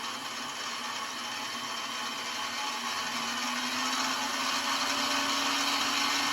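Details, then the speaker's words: Mini milling machine, spindle cold, with a cooling fan unit at the back: even whir with a gear hum climbing slightly as the spindle comes up to speed; a little noisy but no knocks, rattles or vibration. "I guess it is a little bit noisy though, but there's really no vibration at all."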